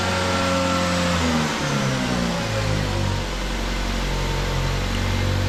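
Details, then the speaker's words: 2009 Ford Fusion 2.3L, first start after fixing a loose cam position sensor, replacing a broken cylinder head temperature sensor and connector and clearing codes: revs rise sharply for a second or two then settle to a smoother idle; idle flares on startup. "definitely had a flare on that idle there not sure what that was about runs a lot smoother though"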